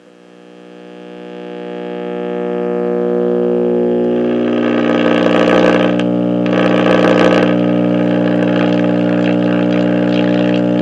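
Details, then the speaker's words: Vintage Westinghouse 837L5 AM tube clock radio at power-up, drawing 29 W: a loud, steady low buzzing drone swells from the speaker as it warms, from a bad filter capacitor. "that is a bad capacitor for sure"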